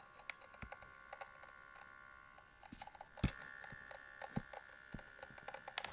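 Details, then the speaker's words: Meta Quest headset at power-on: irregular dry crackles and snaps over a faint steady electronic hum, like velcro being pulled apart; crackling noise at power-on. "it sounds like some some velcro is being like detached or something"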